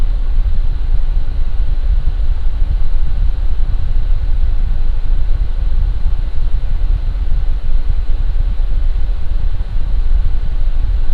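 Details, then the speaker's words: Lian Li Galahad II Lite AIO with original non-ARGB fans, mic about 1 foot from radiator, Cinebench full load: constant even low rushing air, no ticking, grinding or pitch wobble; fans normal at full speed. "Now I'm just going to ramp up the CV bench, and this is how it sounds like at load."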